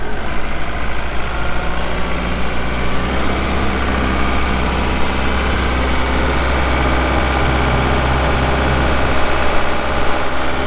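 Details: 2012 Kubota M8560 85HP 4WD cab tractor with loader, only 381 hours: diesel catches and settles into a steady, even low rumble with no knocks or misses; normal, healthy idle.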